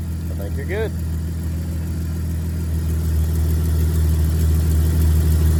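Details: Jeep after replacing the belt tensioner pulley, which had made horrible noises: engine settles into a steady low idle with an even beat, no squeal or scream from the belt area; normal idle.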